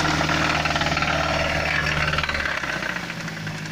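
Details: Mazda CX-7 engine knock: a steady, fast knocking tap over the idle, several beats a second, source not yet pinned down.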